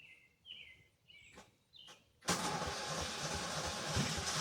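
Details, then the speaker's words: 16 hp Kohler Command single cylinder, cold start on a warm day, known as very cranky to start: faint cranking attempts, then catches and runs rough and loud; hard starting. "this one is the worst this one does not like to start I um I'll be surprised if it doesn't make me get the jump pack this one is very cranky"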